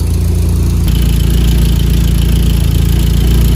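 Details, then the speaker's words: Mazda Miata bought for $900, just started; smoking from added oil, likely no coolant, oil pressure 30. Low, heavy idle pulsing about 3.5 beats a second with uneven lope; owner suspects vacuum lines or a bad EGR, unconfirmed. Rough idle. "The looks and the hear from it, I think there's a couple things wrong. Maybe some vacuum lines, or maybe the EGR is bad or something."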